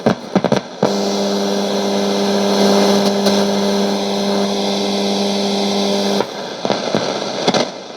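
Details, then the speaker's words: c.1989 Hitachi MS-W600W twin cassette boombox from storage, with a dirty volume control that won't go quiet and balance fully to one channel: after a few clicks a steady buzzing tone with hiss holds about five seconds, then drops away; cause unclear. "Now the balance was totally on the left channel. That's why we had more noise out of that initially."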